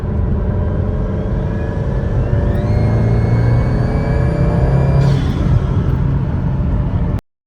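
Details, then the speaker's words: Subaru daily driver pulling under boost: the turbo spools with a faint rising whistle, then a hair-dryer whoosh as the bypass valve opens, with some rev hang. Owner suspects the diverter valve, but a replacement did not fix it. "And then as soon as the bypass valve opens up, kind of sounds like a hair dryer going off."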